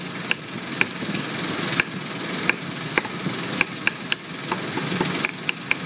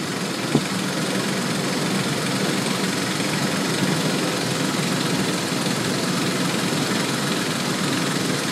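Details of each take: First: 2001 Ford Explorer 4.0L with P0113 and MAF circuit low codes, idling while the MAF connector is wiggled: even, steady idle with a few sharp clicks, slight valve chatter, no skipped beats; fuel trims good. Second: 2001 Ford Explorer 4.0L with codes P0113 and MAF circuit low, idle at MAF test: steady, not skipping, with a faint fast light ticking, possibly valve chatter, nothing conclusive.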